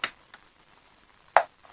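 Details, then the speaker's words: Circa 1959–1960 Ingelen TRV111 AM portable radio under repair: two sharp crackling pops over quiet static as a nearby overhead lamp is touched or switched, showing AM sensitivity to electrical interference. "Can you hear the interference there? And I've got an overhead light as well, an LED one, and I'm just about to touch it. That's just me touching the light."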